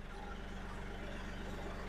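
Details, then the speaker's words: Tractor with newly installed hydraulic top link being cycled: steady engine rumble with even pulse and no clicking as the link moves; clicking from purging air has stopped, hydraulics working normally. "Run it through a couple of times. You're going to hear a couple clicking. That's just it purging the system. It's looking good."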